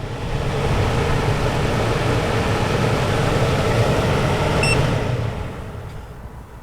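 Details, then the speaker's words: MaxxAir/MaxxFan-style RV roof vent fan, newly installed, 4-speed, running in blow-down mode: a smooth, even airy whir holds for several seconds and then winds down. It runs with no rattle or grind. "So if you're sucking the as you can tell, it's actually it's not really that loud. You can hear it going, but it's not too terribly loud."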